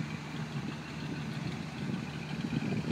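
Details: 1985 Pontiac Parisienne Brougham V8, just out of storage since August, idling with a steady, low, even rumble and no misses, knocks or stumbles; muffler still bangs underneath, blamed on a heat riser.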